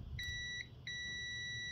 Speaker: and there you go so that is a fully functioning ignition for a lawn tractor